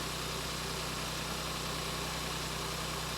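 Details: 2024 Ford Focus salvage rebuild after first start, alternator replaced: even, settled tick-over holding steady on its own with no stumbles, ticks or knocks; healthy petrol idle, no battery light.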